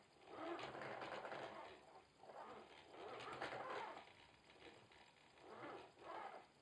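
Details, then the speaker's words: Logitech Driving Force GT wheel, second unit (first returned for the same noise), game sound off, at the demo's maximum force feedback strength: uneven buzzing, fluttering bursts with each force pulse, like something loose rattling inside; owner believes it's faulty. "Also normal hört sich das nicht an, ey. Das hört sich da an, als ob da drin alles locker ist. Und da drin wie verrückt rumflattert."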